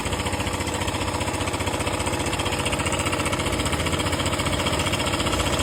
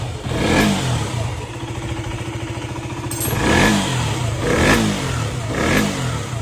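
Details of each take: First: KTM 125 single-cylinder at idle, before repair: fast metallic rattle about four beats a second; slack cam chain from faulty cam chain tensioner. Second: KTM 125 after replacing a faulty chain tensioner that caused knocking: single-cylinder revs up cleanly in four quick blips and returns to idle with no knock or rattle; healthy.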